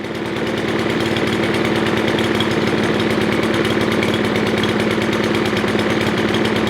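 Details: Craftsman M270 159cc single-cylinder mower engine with electric start, revving hard with a fast even beat and steady hum, no misses or surging; running cleanly after won't-start fix.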